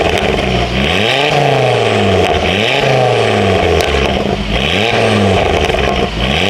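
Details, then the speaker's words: Ford Focus ST/XR5 Turbo after exhaust leak repair: clean repeated blips, no puffing; much quieter, with exhaust now exiting from the rear; leak fixed. "but yeah 10 times quiet already like I can already sell big difference in the noise"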